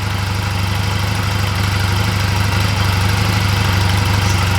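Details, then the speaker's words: 2004 Honda Rebel CMX250C twin after refitting the old spark plugs in place of new plugs: steady, even low putter at idle with regular beat and no misses; running fine. "pretty even all right so that seems to be running fine with the old plugs"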